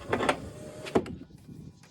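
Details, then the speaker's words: 2006 Nissan Frontier driver door power window: short, harsh grating bursts as the glass moves, because the regulator cable jumped its track and got flattened; still on track but grinding. "you can hear mine that cables what it is is still on track but they cable when it jumped track it like flattened that cable and it's just making a grinding sound"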